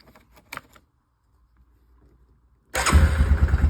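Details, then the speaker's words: Yamaha Kodiak 450 ATV after no-start, old starter solenoid had power but wouldn't pull in, replaced with new one: after a pause it catches at once into an even, steady single-cylinder idle without misses or knocks; normal start and idle. "So we have the new start solenoid installed. Battery hooked back up. Old one had power going to it, but this wouldn't pull in. Let's see if we'll start up."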